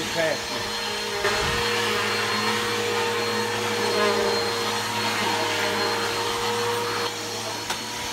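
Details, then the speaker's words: Bissell PowerForce Helix 1240 upright vacuum running on carpet: steady loud roar with a rough, gravelly rattle riding on it; brush roll bearings wearing out (not the motor), brush roll needs replacing soon. "uh you can hear the bearings are going out in it um not the motor the brush roll um the bearings are out in the brush roll so the brush roll need to be replaced soon"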